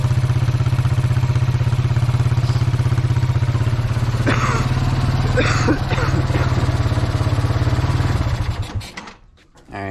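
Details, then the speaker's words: Kawasaki Bayou 220 ATV, sat about 8 years, helmet-cam test ride after air-filter work: even, fast single-cylinder thumping holds steady under riding load, then fades out; all gears work, no bogging, healthy. "guys ran pretty good um all the gears work um no bogging"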